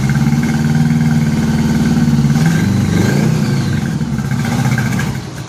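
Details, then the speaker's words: 1983 Honda Gold Wing after new head gaskets, first run with no coolant. Lumpy, stumbling beat at about three to four pulses a second, uneven and sagging, only a couple of cylinders firing; coils and wires already replaced: misfire. "so it's only hitting on like a couple cylinders it seems like they were chasing that issue before I got it"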